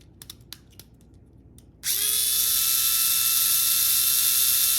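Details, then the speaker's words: 4WD model car run with the rear gear removed so only the front drive gear turns: the motor spins up to a steady high whine with a fine rapid clicking chatter, pointing to a damaged front gear. "所以其实蛮有可能是前面有问题的。"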